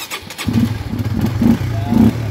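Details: Honda RS150 FI after top overhaul (previously noisy engine): single-cylinder starts and settles into a steady, quiet idle with soft regular pulses and no grinding or rattle; running healthy.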